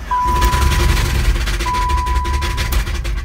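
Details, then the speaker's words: 1990 BMW E30 325iX, 5-speed manual: rough heavy engine with deep loose knocks about three a second, rod knock; reportedly hot-wired and driven very overheated, engine toast and being replaced. "oh yeah she's sounding real real bad so apparently this was uh broken into which I believe uh it was hot wired and they drove it um very overheated or something like that and uh the engine is completely toast"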